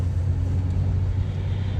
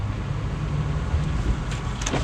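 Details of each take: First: Chevrolet Impala after replacing a rear strut; driving with only low, steady road rumble, no more clunking from the rear, suspension quiet. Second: Impala on a road test: sharp hollow clunks every half second or so from the rear over road noise, caused by a worn left rear strut that was then replaced.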